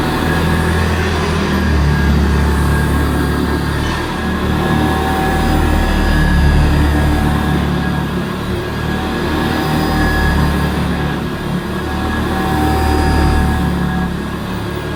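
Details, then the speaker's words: Hoover Senior C1300 commercial upright vacuum cleaner after agitator replacement, on the highest setting, then lowered one notch, pushed over carpet: steady high motor hum easing slightly under load; healthy, even-running vacuum. "That sounds lovely, and I've got it on the highest setting, so I might leave it on the highest setting actually. That's got a lovely sounding motor."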